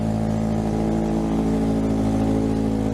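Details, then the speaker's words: Salvage Scion FR-S, first start on arrival: after several tries it catches and runs with a steady loud drone, coarse busy note and slight unevenness; runs but louder than it should, cause unclear; mass airflow sensor still to be dealt with. "Oh my gosh, it freaking runs. I don't know why this is so loud, but"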